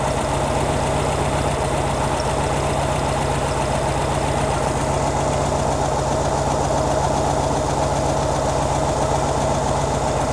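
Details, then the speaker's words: 1957 oval-window VW Beetle, warm, after carburettor adjustment: slow even low idle about four beats a second with no misses or knocks, a healthy deliberately low idle. "why right like the super low idle it's a gen engine meaning generator sounds good"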